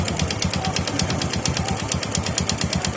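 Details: Honda RS 125 carburetor-type motorcycle idling: a fast, hollow metallic rattle riding on each firing pulse, which is piston slap.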